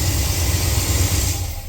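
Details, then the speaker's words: 1989 Chevy G20 van starting after alternator replacement (old one had a noisy bearing), battery 12.3 V rising to 14.2 V: even rumble settling to a smooth idle, no bearing growl or whine; normal. "So we're going to crank it and see what it says. It's making noises."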